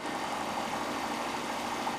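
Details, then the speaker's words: Homemade bicycle Stirling engine heated by welding torch, clutch released after push start: quickly accelerates past 800 rpm, fast even whir, steady hum, no knocks; running freely with new linear bearings. "Mesin dengan cepat berakselerasi hingga lebih dari 800 rpm, dan saya bisa menghubungkan kembali kopling untuk menurunkan rpm sambil mempercepat roda hingga kecepatan yang diinginkan."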